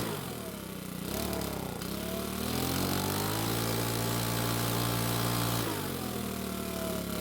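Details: Makita four-stroke leaf blower that would not start, repaired after a carburetor part was lost. Engine revs up and holds a steady, even drone with no misses; a bit cold-natured, but runs well once at normal temperature.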